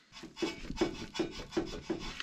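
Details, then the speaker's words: Car's left front sway bar end link, rocked by hand: dry clicks with a rasping rub about every 0.4 seconds, matching the clicking heard when driving over holes. Worn sway bar end link. "Hear that clicking sound? That's what really bothers me when driving through stupid holes."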